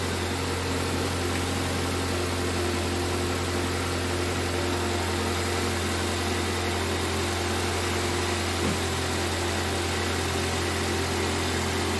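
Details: 2005 Toyota Corolla with a P0304 misfire, idling after valve cover gasket replacement for oil leaking into spark plug wells; steady even hum, no stumble, misfire gone. Normal idle.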